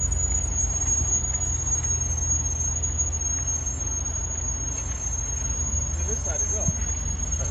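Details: Range Rover Sport SVR: a piercing high-pitched squeal through the whole stop, present for about 10 months of ownership. Chamfered and lubricated pads, new pads and discs (fixed it only about 500 miles) and new calipers have not cured it.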